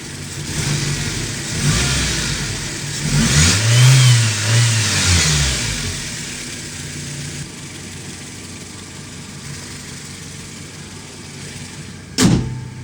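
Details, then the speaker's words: 1997 Toyota Tacoma 2.4L four-cylinder with new Toyota 23209-79085 injectors replacing a heat-failing injector, throttle body cleaned, still warming up and cold with short-term fuel trim slightly rich: a smooth rev settling to a steady idle. No misses; it is running healthy. "the engine is sounding pretty good so far the vehicle is still warming up at the moment"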